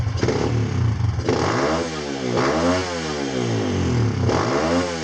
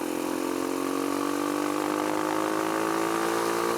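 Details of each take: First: Kawasaki KLX140 with newly installed KX65 carburetor, first test, airbox lid off: single cylinder blips up and falls back about every 1.5 s, revving well only with choke pulled; rider suspects not enough fuel (lean). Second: Kawasaki KLX140 with a newly installed KX65 carburetor on its first test ride: steady, clean tone climbing evenly at quarter throttle, no stumble; smooth running at low throttle, though it falls flat and bucks at half throttle.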